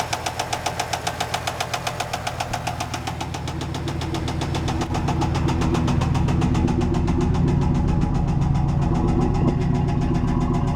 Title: 95 z28 LT1 bad rod knock